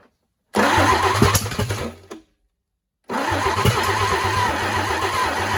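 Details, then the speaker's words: 1940s GMC 270 engine, first start in 20+ years, old worn starter on 12 V, ignition on 6 V: cranks, catches, runs roughly then dies; restarted idles unevenly; owner suspects ignition timing off. "out well wouldn't you know she fired off a little bit there"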